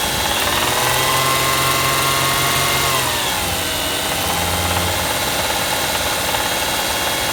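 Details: 2003 Toyota Camry 1MZ-FE V6 running: a loud rhythmic knock about three per second over a whiny background. Rod knock or valve lifters needing adjustment are suspected, not confirmed.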